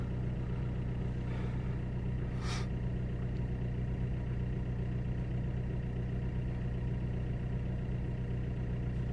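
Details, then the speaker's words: Vauxhall/Opel Corsa D 1.3 CDTi diesel, after repair: came in misfiring (P0204, non-original injector); fault traced to two failed resistors, apparently kept going by water. Left idling: smooth, steady low diesel idle with constant beat, no stumbles or misfires. "But look, it's running perfect so far. It's gonna let it to idle for a little bit and see what happens."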